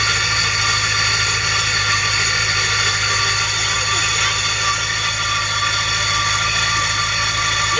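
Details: GMC engine just after start-up: a steady, high-pitched metallic grinding whine over the running engine as the starter gear fails to retract and grinds on the flywheel; starter drive not disengaging.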